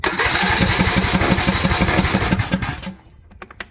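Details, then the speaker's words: Craftsman riding mower, Briggs & Stratton Intek engine, died mid-mow and smoked a little: even starter chugging with no firing. No click from the fuel shut-off solenoid at key-on, so it cranks without starting; solenoid failed. "so one thing about this is when we turn on the key you if I'm quiet you should hear a click for the solenoid we got nothing we got silence"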